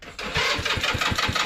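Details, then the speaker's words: Scooter with aftermarket high-voltage coil pack (Max Fire, salvaged from a Ford Expedition) during a fleet revival: quick crank catches into a steady, even putter with clean regular pulses, no knocks or rattles; normal start and idle, sounds healthy. "Oh yeah, sounds healthy still."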